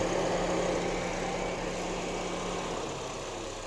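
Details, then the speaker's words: 2008 Honda CR-V after engine swap and cooling fan replacement, warm idle: radiator fans come on at 217°F, run about five seconds and switch off at 203°F; steady airy rush fading evenly; normal. "run for about five seconds and once again that drops it down to 203 2008 Honda CRV coin fans come on at 217 and kick off at 203."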